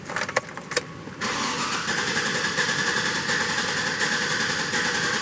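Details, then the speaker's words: 2007 GMC Yukon with a 5.3 L V8: cranks and catches, needs throttle, stalls, then idles with a rough, uneven, stumbling beat, a nasty misfire and sloppy idle. "now it's finally idling and we got a nasty Miss I don't know if you guys will be able to hear it and our idle is pretty sloppy"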